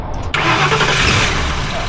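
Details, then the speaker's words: 2004 Ford Crown Victoria, 4.6 V8, sitting broken for a year with a transmission problem: short crank, then catches cleanly and settles into steady, even running; normal start. "Will it start under its own power?"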